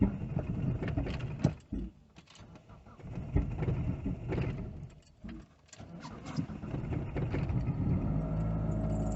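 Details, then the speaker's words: Mitsubishi Galant (3G Eclipse-style fuel pump swap to Walbro 255LPH): slow starter churns for several seconds before the engine catches, stumbles roughly and fades; long-crank hard start, owner suspects fuel pump, cause unclear. "weird but I don't know why I should take so long to start and it's just sounds like a racket"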